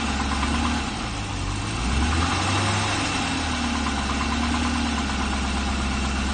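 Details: LS3 V8 at about 40,000 (units unstated) idling with a light, fast, uneven knock ticking over the low rumble. Owner suspects piston slap, not confirmed.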